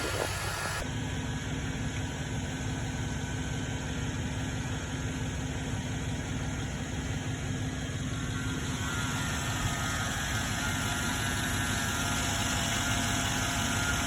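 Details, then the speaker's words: 2007 Chevrolet Tahoe idling steady and smooth with no stumbles after the aftermarket air filter was replaced; earlier mass airflow sensor swap and throttle body cleaning, rough idle now much improved. "oh yeah yeah I can already hear it it's idling a lot better already"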